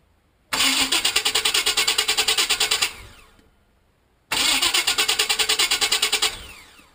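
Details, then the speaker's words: Vehicle with starter recently replaced by owner: two cranking bursts of about two seconds each, fast, even, harsh chatter, engine never catches; abnormal starter cranking noise, owner unsure whether a new starter is needed. "So I'm going to let you guys hear if there's any mechanics or anybody that will be able to guide me to the right spot maybe, or do I need a new starter?"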